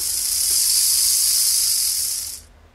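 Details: Bachmann/Life-Like pancake-motor model locomotive with newly fabricated replacement gears: high, even whirr of tiny motor and gears running smoothly without catches, then stopping. Finding: normal running.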